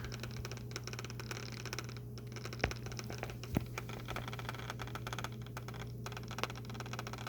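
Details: HP Pavilion laptop, new: steady low hum with irregular crackling ticks, seeming to come from one side of the machine; cause of the abnormal noise unknown.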